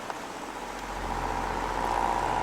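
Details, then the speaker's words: Household electric fan with electronic controls, first run of the season: quiet motor hum with a thin whine rising and growing louder over a few seconds; noisy oscillator mechanism, owner suspects it needs oil or grease, still works. "hear the lovely noise the oscillator makes so that's probably gonna need some oil some grease it still works but yeah whatever"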